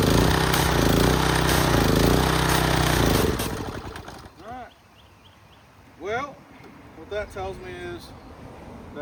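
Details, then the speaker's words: Free, abandoned gas pressure washer, first test under load with a hose connected: the engine pulses roughly for about three seconds, then loses power and dies. "Make sure we're getting water through the pump. Get some of that air out. See what she does. that's not good."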